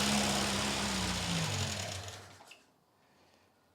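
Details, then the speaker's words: Vauxhall Chevette first start after over 10 years parked, oil spitting out indicating half decent oil pressure; engine runs smooth and steady with even low hum, no knocks or misfire. Normal running. "up yes that sounds really good we've got oil spitting out now so that means we've got a relatively half decent oil pressure at least"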